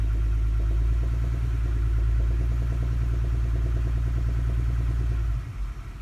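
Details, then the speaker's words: 2009 Toyota Highlander 3.5, 212k miles, in drive with foot on the brake, revved from 800 to about 1,000 rpm: light, fairly regular knock over the hum; owner hopes for plugs or an exhaust leak. "you hear that slight knocking as i rev up and if i put it in gear my foot on the brake and just give it a little bit of gas"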